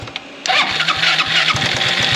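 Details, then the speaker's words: Project buggy engine, cold and unused for two weeks: catches then stumbles with lumpy low pulses and a raspy buzz. Runs rough cold, improves as it warms. "das hier hat er auch letztes Mal immer gemacht ne der ist im kalten Zustand fingt extrem schlecht an wenn er warmer wird dann wird's besser"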